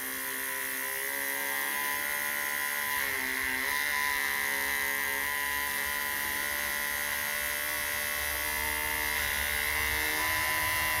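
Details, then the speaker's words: Cat 922B loader, small electric vane fuel pump freed up by hand and reassembled, then bench-tested on a battery: a steady, even high whine with no change in load; the owner later suspects the fuel is below the pickup. "assemble it and test run it on the battery again, see if we can get it to hum."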